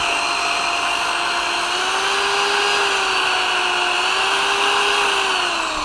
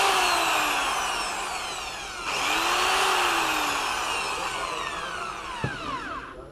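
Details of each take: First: Bosch corded drill after repair (new brushes, cleaned motor housing, replaced faulty power cable): runs at steady speed with clean even motor whine, no grinding or rattling; earlier strange noise, low speed and intermittent stopping fixed. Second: A Bosch corded drill, after new brushes and a cleaned motor seat, whines then sags and cuts out depending on cord position. One pole of the power cord made poor contact, and the cord was replaced.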